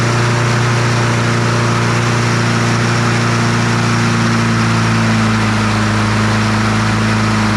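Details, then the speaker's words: Troy-Bilt TB200 push mower, Briggs & Stratton 550e 140cc engine, dark oil, before service; steady high-pitched drone well above normal speed with no dips, cause unknown; engine over-revving. "I don't know why that thing was revved up so high"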